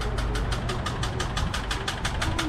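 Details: Van, starter chattering when started; rapid even clatter about four to five hits a second, engine never catches; weak battery suspected.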